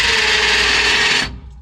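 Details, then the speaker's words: Starter spins freely with a high whir but doesn't turn the engine after a weird noise while cranking; owner suspects a stripped ring gear or Bendix gear not engaging, unconfirmed. "If I stripped the [sighs] ring gear or [laughter] starter fell apart, the bendix fell apart. I don't know. Bendy gear not kicking in."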